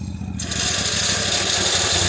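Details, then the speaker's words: Wheel Horse mower small engine, cold-blooded; when clutch engages a harsh gritty high grinding over the putter, clutch pulley bearings destroyed after suddenly seizing, pulley visibly wobbling. "Oh, the bearings are destroyed. I guarantee I can't even put new bearings in that. You can look down and just see it wobbling and everything."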